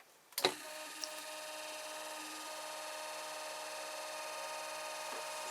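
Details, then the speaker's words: Brushed 24 V 350 W 3000 rpm eBike gear motor BY1016Z, 9.7:1 reduction, shredder drive, unloaded, resting on wood that adds reverberation: even high-pitched hum and fine whirr, no knocks, rattles or wobble, very slight vibration; runs smoothly. "it's a bit of noise, but it's not very noisy really, especially if I take it off the wood. So you're getting a bit of reverberation there. But very smooth."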